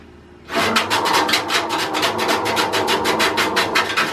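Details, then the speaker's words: 1967 Simplicity Landlord 2010 lawn tractor on start attempt: fast raspy scraping pulses about six a second, no firing; flywheel spins but shaft doesn't, owner suspects sheared flywheel key. "That's not good. That is not good at all. That sounds like we just broke something."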